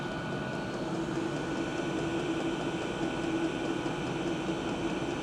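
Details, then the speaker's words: Diesel parking heater, loudness test at the combustion-air intake with filter and silencer fitted, measured 73 dB max. Steady, even hiss and hum with no knocks or surges; normal running with the intake silencer fitted. "Ich mache meinen Test zur Lautstärke. Jetzt hier zunächst an der Frischluftzufuhr."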